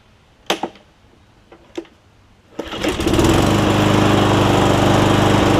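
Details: Cub Cadet SR621 push mower with a Kawasaki engine, right after a replacement carburetor with built-in primer bulb was fitted: clicks and a pull, then a steady, even run with no stumbles. It had not run in a while (rust smell), and the shut-off is wonky.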